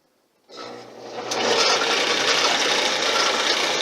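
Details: RockCan can crusher on its first test run after assembly, with pulleys and belts just fitted and lined up, driven at about 80 and 50 rpm: the motor spins up to a steady whirring hum with a light even rhythm, no grinding or knocking, and runs normally.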